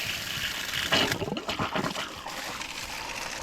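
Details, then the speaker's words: Outside water line fed by a newly replaced pump, being refilled: irregular spitting and gushing bursts of dirty water from the outlet as trapped air blows out ahead of the water. Air in water line. "Blowing out some more air. Dirty water."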